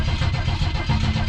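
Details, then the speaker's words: Vehicle that sat over six months through winter, throttle pumped ten times: steady low starter churn with uneven compression beats, never catches during the clip. It almost starts; owner keeps trying. "Oh, it's like it almost. Let's try it a few more times."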